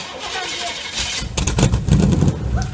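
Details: 1968 GMC truck, first start attempt in 20 years: heavy, low, labouring crank with a rough uneven rumble that nearly catches but never settles into a steady run; fuel pump cycled and it started later.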